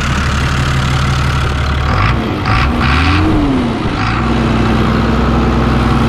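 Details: New Holland TB120 diesel tractor just after refitting the rebuilt, retimed injection pump, recorded outdoors in wind: steady low drone, even with no knocks or misses; runs healthy and no longer smokes.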